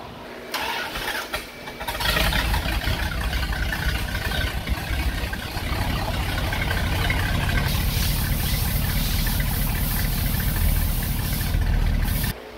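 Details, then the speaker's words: 1977 Dodge B200 van, 318 V8 with TorqueFlite 727, after a performance exhaust was fitted. It cranks, catches and idles heavy and lazy, lacking snap, with ignition timing at minus four degrees. Retarded ignition timing. "minus four degrees timing huh oh so you're going to go ahead and put that hot rod tune in it"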